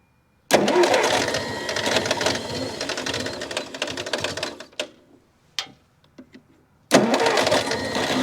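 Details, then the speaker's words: Massey Ferguson MF711 hydrostatic skid loader, not run in 20–25 years, choke pulled, throttle back: catches, runs rough and uneven a few seconds, cuts out, fires again; slight exhaust leak, puff of smoke, old engine coming back to life. "yeah little mfer is running first time in 20 to 25"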